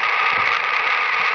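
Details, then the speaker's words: HF ham radio receiver picking up power line interference: a steady, harsh buzzing hiss with no rhythm or tuning change. "so no matter how great your equipment is if you haven't got it plumbed properly outside the noise from power line is going to come on in and you all know what power line the noise sounds like it is just plain ugly"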